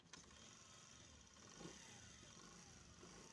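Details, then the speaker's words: Honda CD 70 motorcycle after replacing loose timing chain with new one: quiet, even, smooth idle, no chain rattle or ticking. "इसमें किसी किसम की अब कोई बात नहीं बिल्कुल स्मूथ हो गया है इसका इंजन"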